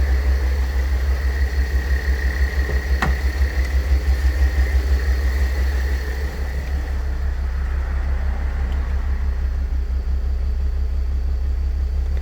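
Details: Mercedes W211 with OM642 3.0 diesel at idle: thin steady whine above the diesel clatter, fading later, from a worn A/C compressor bearing; replacing the bearing eliminates the noise.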